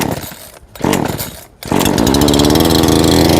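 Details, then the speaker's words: Two-stroke engine started with switch on: a couple of pulls, then it catches into a steady, even buzz with no misfires; normal start and run. "온으로 스위치를 놔두고 시동을 거시면 되는 거예요."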